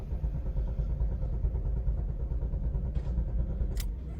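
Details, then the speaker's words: Car that sometimes cranks but won't start and sometimes stalls after 2–3 km: steady starter cranking, low chugging about two beats a second, never catching; fuel line, fuse and relay to be checked. "इस गाड़ी में customer का concern है गाड़ी crank करते हैं but start नहीं होती और कभी दो-तीन किलोमीटर चलते चलते गाड़ी बंद हो जाती"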